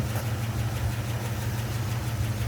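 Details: International Travelall V8 after a roughly 25-mile drive with the flame arrester removed and no oil dripping: a smooth, steady low idle with an even rumble and no knocks or misses. Earlier carb bogging and black smoke on throttle tip-in were fixed. Normal idle.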